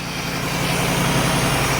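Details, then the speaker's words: 1989 Pontiac Firebird Formula, sat 17 years, just restarted with no cooling water hooked up: steady fast hum with no misses, idle noticeably high; owner suspects a vacuum leak. "idling kind of high uh we don't have any uh water cooling in this thing so going to shut her down"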